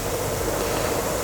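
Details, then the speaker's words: 1994 Renault Espace 2, 2-litre petrol running on ethanol: heater blower motor refitted after replacing the thermal fuse on the blower resistor, tested through its speeds before reassembly; steady even whoosh with faint hum, no rubbing, running normally. "nous replaçons le moto ventilateur ça fait du bruit nous allons faire un test avant de remonter voir si toutes les vies text fonctionne du moto ventilateur"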